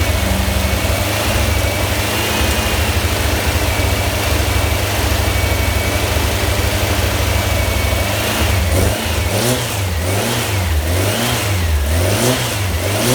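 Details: Freshly built VW Type 1 1600 flat-four (74 x 85.5) with stainless mufflers, first start, revs held up to break in the cam: steady, even drone at raised revs, clean rhythm, no knocks or misses; normal fast idle.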